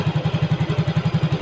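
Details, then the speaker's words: Yamaha Mio GT injected scooter, earlier hard-starting and stalling at idle, now with new injector, O2 sensor 0.49 V, idle control 19.0%, 1300 rpm. Steady, even low thump, no stumbling or hunting; normal idle. "Nah, jadi saya anggap selesai ya motor ini. Jadi responnya sudah enak, motornya stasionernya tidak matian,"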